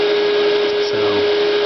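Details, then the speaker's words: Dodge Daytona electric vehicle conversion; loud steady mid-pitched whir from the DC-DC converter's cooling fan with no rise or fall, obnoxious in an otherwise very quiet car. "anyway really loud and obnoxious for a car that's otherwise very very quiet"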